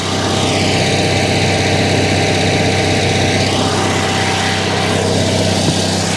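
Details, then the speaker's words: Generator on a motorhome running after being repaired, heard at night outside: loud, steady drone with even low hum and constant note, no misses or knocks; generator working normally. "the generator works it works I fixed it"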